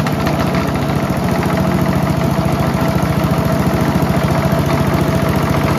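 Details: Mighty Mac wood chipper/leaf shredder, free non-running unit, small single-cylinder engine restarted after replacing the rusty seized choke flap, runs at a fast steady idle with a heavy pulsing low throb; violent vibration, suspected out-of-balance flails.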